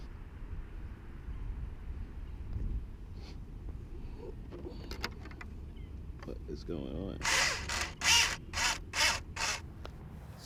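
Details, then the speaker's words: Traxxas 4-Tec 2.0 brushless RC car on 2S LiPo, 55/35 gearing, aftermarket spur gear: harsh rasping bursts about once a second with each throttle blip and no drive; pin rotating in the spur gear and shredding it, replacement ordered. "So as you see here, my spur gear, and you'll see it when you hear it in the video towards the end, that all of a sudden you would hear this grinding sound, but there's not any motion."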